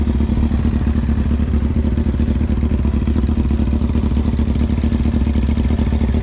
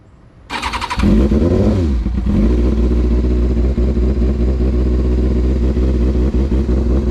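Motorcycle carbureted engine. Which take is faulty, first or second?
second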